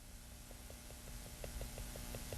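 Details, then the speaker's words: Woodburning (pyrography) stippling: crisp, even ticks about five per second. Audible tapping means the pen is pressed too hard, which breaks down the tip and dries the pen faster. "you hear this tapping it's too loud I did it so that you could understand that when you're working with a pen with this tiny felt tip on it by tapping it if you could hear it it means you're hitting the piece too hard and you're mashing the pen"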